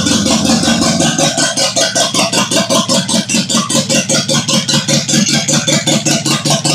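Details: 1972 Toyota Celica with a swapped JDM 18RG twin-cam engine, run briefly with no coolant to set the timing: a loud uneven, lumpy pulsing beat about 2.5 per second, running rough.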